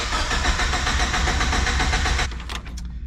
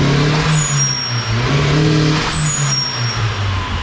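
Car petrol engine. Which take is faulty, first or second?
first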